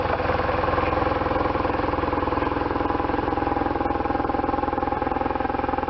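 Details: 1998 BMW R1100RT boxer twin, first start after restoration, throttle bodies not yet tuned: even, steady low thump ticking over with no misses, knocks or rattles; normal idle.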